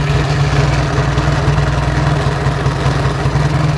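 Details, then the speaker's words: 1949 Indian Scout V-twin at idle during shakedown: loose, regular thump with steady loping rhythm, no knock or clatter; engine sounds healthy, minor rattles traced to unstrapped metal strap. "Sounds good. Sounds really good."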